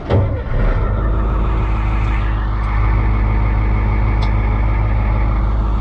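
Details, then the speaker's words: Oliver 2255 FWA tractor diesel, test run after servicing engine oil, rear-end, hydraulic and transfer-case oils: a steady, even low idle with a smooth rhythm and no knocks or misses; running healthy, to be checked for leaks. "well i think we're in business we'll give it a quick check over here for anything leaking but i think that we are in good shape"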